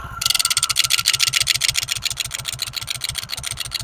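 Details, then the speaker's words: Honda Pridor (CD 100) 100cc motorcycle engine at idle: loud, sharp metallic rattle about three to four per second from loose play in the flywheel magnet rotor; noise eases when revved, fixed by removing the magnet. "ऐसे लगता है की सारा engine ही हमारा खत्म है लेकिन ये छोटा सा मसाला मैं आपको सही करने का तरीका बताता हूं तो दोस्तों इसका मैग्नेट खोलेंगे"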